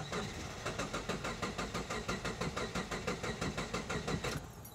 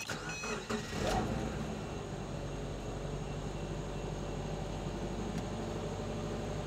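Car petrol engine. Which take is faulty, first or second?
first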